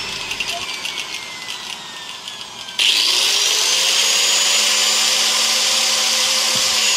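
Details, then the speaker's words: Hand grinder fitted with a 4-inch circular saw blade, run at normal mains voltage before slowing it with a 2000 W dimmer: steady, piercing high whine that jumps louder and holds; blade spinning too fast and too loud at full speed. "Let's try to lower the voltage because it's loud."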